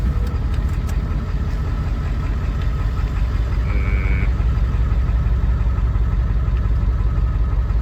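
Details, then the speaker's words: Ford 7.3 Powerstroke diesel after fuel pump replacement for a misfire: low idle with an uneven, lopsided beat about three pulses a second, like one cylinder dropping out; the new pump did not cure it. Misfire at idle. "It's still off. Still a little bit off. Mean it. What else could it be? One. It sounds like one."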